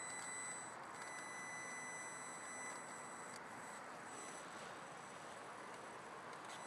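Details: Audi S4 B5 1999 throttle body makes a strange noise: a steady hiss with a thin, constant high-pitched whine on top, coming from the throttle body.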